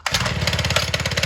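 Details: Small kids' motorcycle after repair with a substitute spring, normal idle: a quick, even putter from the small single-cylinder with no knock or clatter.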